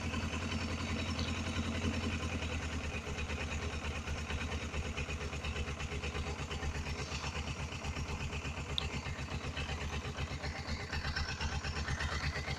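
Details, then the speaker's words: Suzuki GS500E twin, cold start at about 55°F after a carb rebuild for clogged pilot jets. It holds a steady, even idle with choke reduced, smooth low beat, no misses or knocks; running right. "Yeah, so I'll just let it idle for a moment. And give it a little bit less choke here."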